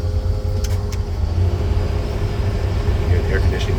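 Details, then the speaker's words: 1941 Chevrolet pickup street rod, 350 V8 with 350 automatic, electric fuel pump, about 8,300 miles; steady even low idle rumble with a faint constant hum from the engaged A/C compressor, running smoothly. "electric fuel pump that is exactly how this truck has started every time"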